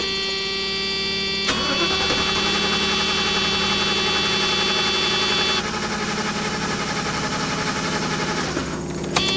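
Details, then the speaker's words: 1991 Mercedes-Benz 420 SEL, hot engine after heat soak: the starter spins steadily for several seconds but the engine never catches; a reproduced crank-no-start with no spark. "just not going to start for me at all. Excellent. We've reproduced the problem."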